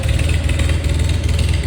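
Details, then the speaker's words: Farmall 400 tractor that had sat for several years, started after cleaning the points, fixing the battery cables, cleaning the fuel tank and rebuilding the carburetor; it started with little cranking. Deep, steady, even firing with no misses or knocks. Normal running. "I didn't crank it for long. It started up. It's a hard to start if it's been sitting several years."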